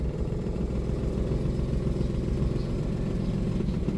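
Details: Toyota Wigo with blinking check engine light, idle about 900 rpm versus normal 750: uneven, shaky idle with loose rattly lope under air-conditioning load; one cylinder misfiring from a broken injector wire.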